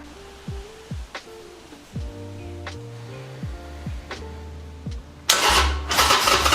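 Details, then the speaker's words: Reassembled Harley-Davidson Sportster on a jump box after a fuel problem was fixed: catches after a few cranks and settles into an uneven loping potato-potato V-twin idle, throttle working; running as it should. "we got the potato potato potato sounds good throttle works"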